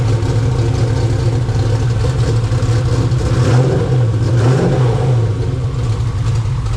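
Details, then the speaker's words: 2000 HP turbo Ford Mod motor V8 after repairs, just restarted: loud, heavy roar held at raised revs, even and steady without clatter or misses. It sounds good. A later pressure check found a pinhole exhaust leak at the number 7 EGT port. "Oh, she starts, Josh. Yeah, boy. Sounds good too."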